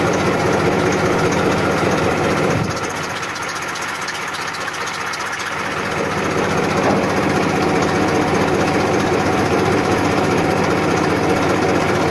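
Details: 1994 Massey Ferguson 1035 DI tractor diesel at idle: low, regular hum with steady pulses, a brief dip then recovery, no knocks; normal idle.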